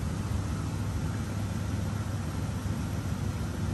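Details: 1986 Oldsmobile Cutlass Supreme idling: low even rumble, no misses, knocks or ticks; nice smooth healthy idle.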